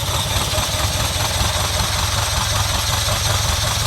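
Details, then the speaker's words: 1979 Ferrari 308, first start, choke on: uneven, lumpy idle that sputters and dies whenever the throttle is touched; plugs possibly fouled by Mystery Oil in the cylinders, expected to clean out. "hopefully it'll yeah see it's starting to sputter it hopefully it'll clean out once it gets the oil out of the cylinders and start to kind of Rev nope crank it again anytime I hit the throttle it dies"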